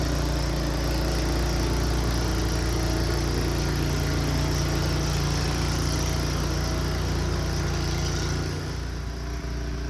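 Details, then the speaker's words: Returned snow blower's small single-cylinder engine clearing the driveway under load: an even, steady drone with no surging or knocking, and it runs fine. "I think we're good to go it seems to run just fine"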